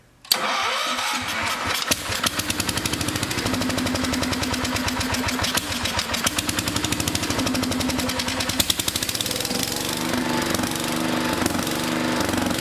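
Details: 1974 Power King K-series tractor, small single-cylinder engine on a temporary auxiliary tank and fuel pump conversion: catches and chugs with uneven firing and wandering pace; running rough, possibly from the auxiliary tank running empty.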